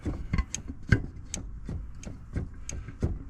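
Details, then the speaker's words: 2005 Honda Silver Wing scooter, rear wheel rocked by hand: dull knocks about three per second, the whole wheel loose with visible play, found while washing; owner thinks the rear wheel bearing is worn and plans to replace it. "so one thing I found out when I was uh when I was washing it the back wheel I think it needs a new uh wheel bearing on the back"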